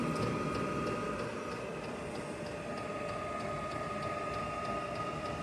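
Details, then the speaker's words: Diesel heater starting up in a 56-degree shop, run from a battery on a charger and drawing about 15 amps at startup: fan hum climbing with a light fuel pump tick about four times a second; normal startup. "It's ramping up. It's getting itself started."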